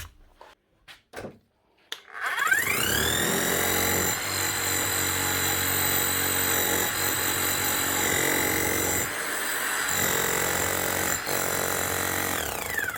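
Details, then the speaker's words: Hammer after a new armature, bearing and seal were fitted; motor spins up cleanly and hammers evenly at a steady pitch with no grinding or missed blows; normal hammering, sounds like new. "Sounds smooth and like a new hammer. Needs to be now hammering like a new hammer."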